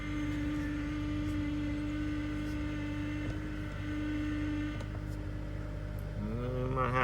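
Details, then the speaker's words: 2012 Honda Accord SE 2.4 K24 at idle on a very cold day, after replacing the power steering pump suction O-ring: steady idle then rising, wavering groan while turning lock to lock; suspected air in system being worked out. "to Work some air out of the system. Do some full lock to lock. Yeah, there we go."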